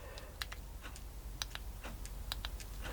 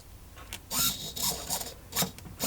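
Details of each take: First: Old RC servo on a servo tester powered by an old battery that holds voltage but lacks capacity: faint scattered clicks as the servo tries and fails to turn; weak battery cannot supply enough current. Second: Old S1903 RC servo of unknown brand with plastic gears, made in Taiwan, on a servo tester: short bursts of smooth, even, high whirring as it sweeps, with no skipping or grinding; gears slightly shaky but it works.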